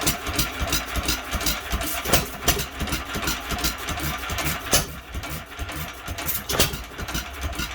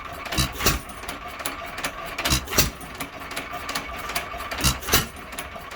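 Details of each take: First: Old ball-governor hit-and-miss engine, believed a 1 1/2 hp Hercules, first start attempt in many years: sharp uneven firing snaps about three a second, running too fast with fuel delivery problems still present. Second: Hercules (maker unconfirmed) 1 1/2 hp ball-governor hit-and-miss engine, possibly converted to spark plug, running after governor latch cleaning and softer spring: paired firing chuffs every ~2.5 s with clicky coasting between; slowed, steady, healthy hit-and-miss running.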